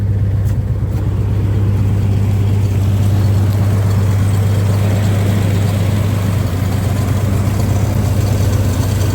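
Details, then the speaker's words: 1962 Dodge M37 flathead petrol engine, first run after sitting 45 years, on temporary fuel supply: deep, steady low rumble at an even idle, idled down slightly, no knocks or ticks; normal idle. "quiet. Not bad at all. See if we can idle it down just a little bit more. There we go. That sounds a little bit better."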